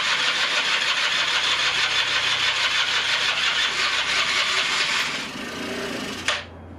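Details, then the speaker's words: 1996 Rexy 50 two-stroke scooter, a barn find started for the first time in 13 years with starting fluid and an NGK B8S plug: the starter whirs about five seconds and the engine only fires briefly, then stops without running. "gut also er ruckt kurz an hab das dreimal geschafft dass er kurz anruckt"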